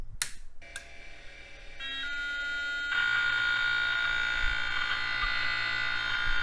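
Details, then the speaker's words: Vintage MFM hard drive in an old computer at power-up. A harsh rhythmic buzzing grind repeats about three times a second over a steady whine, and the drive won't spin up properly: failed hard drive. "yeah I don't think that hard drive is any good that makes me incredibly sad yeah all it's doing is its best Tom Morello impression"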